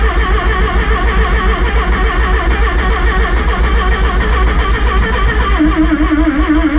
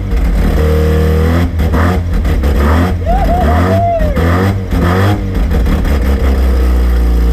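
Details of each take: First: Rotary-engined van's first start after rebuild: steady rhythmic chug of about three and a half pulses a second under music; engine cranking but not yet firing. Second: Rotary-engined van on first start after rebuild, starting off the key: deep steady drone swelling cleanly with each throttle blip and settling back; runs and revs freely, though a belt was melting.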